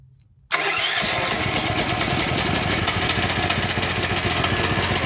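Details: Champion 9000 W dual-fuel electric-start generator that used to start, run about 10 seconds, then backfire loudly and stall, after troubleshooting with the choke on: it catches at once and settles to a steady, even chatter; normal start and running.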